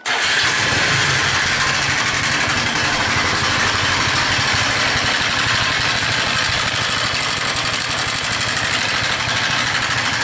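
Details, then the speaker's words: Viper Active scooter engine idling with loud, dense metallic clatter before repair: timing chain and valves noisy, all chain tensioners worn out. "запускаю очень сильный грохот с мотора заметно что все натяжители уже своё отработали"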